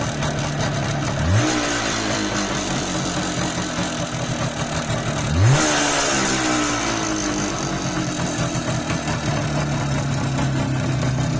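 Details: Izh Jupiter 5 (Izh 350) two-stroke: metallic ringing clatter at idle and two quick blips, rising with revs; piston knock.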